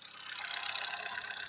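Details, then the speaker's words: Engine after a rebuild, quiet when cold: once warm a fast, even ticking knock rides over a thin engine note, audible from the cabin with vibrations, no check-engine light, oil pressure high; cause not yet found. "Так, постепенно начинает тарабанить. Чек не горит. Даже здесь в кабине слышно. Начинаются какие-то вибрации."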